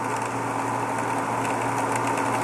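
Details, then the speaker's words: Variable-speed pool pump ramped up to 2750 rpm: steady motor hum with a gravelly, rock-chewing rattle from cavitation (suction starved, impeller clear); the noise vanishes once the spa drain is opened. "2750 we got pretty good cavitation going on to prove to you guys it's just cavitation nothing's in the impeller"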